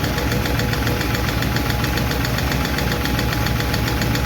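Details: 1951 Chevy truck engine at smooth idle after starting, with light, quick valve-lifter ticking at roughly four per second; number 4 intake and number 2 exhaust still clack, number 2 seems okay; owner will re-tweak those two adjustments.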